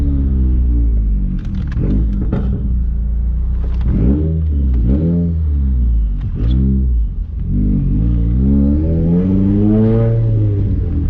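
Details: Subaru on test drive after misfire fix and new spark plugs, oil, fluids and intake cleaning: strong smooth pull, note climbing evenly through revs without stutter; runs clean under boost.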